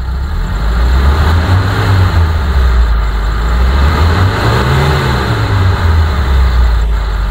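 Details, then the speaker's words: 2010 Mitsubishi T120SS pickup engine revved to 3000–4000 rpm: revs up and settles back smoothly with an even deep note, no knocks, ticks or rattles; power fine, engine healthy. "kita blayer sampai RPM 4000 sekalipun suaranya masih tetap normal tenaganya masih bagus e mesinnya ngisi enggak ngempos dan e tidak ada suara yang aneh-aneh"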